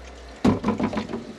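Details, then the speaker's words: Concealed toilet cistern on a bathroom remodel, original valve refitted: water rushes and splashes, then settles into an irregular gurgling fill with no hiss of passing water; normal fill. "let's turn it on and see if it's passing I think we got"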